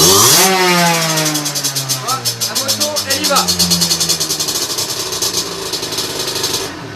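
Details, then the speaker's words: Two-stroke on a dyno bench with a 17.5 mm carburettor: high revs wind down smoothly into a steady crackling idle, and short blips from idle pull cleanly, showing the setting is good. Normal idle and throttle response. "quand la machine allait au ralenti tu accélères d'un coup et qu'elle y va comme il faut tu sais que tu es bon"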